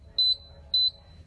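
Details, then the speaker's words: Pride Go Go Elite Traveller 3-wheel mobility scooter: two short high-pitched beeps about half a second apart; warning indicator, commonly because the charger is plugged in, so the scooter will not drive. "that beep is an indicator that something's going on so if they hear that noise and they hear the beat typically it's one of a couple of things one of them is the chargers plugged in"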